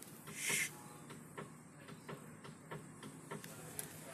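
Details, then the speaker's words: Mitsubishi Minicab MiEV with CHAdeMO safety overridden: faint regular clicks and light clunks as the CHAdeMO port main contactor connects to the main battery pack, normal engagement. "okay so now that top pin and this bottom pin you can hear a little clunking going on in the car"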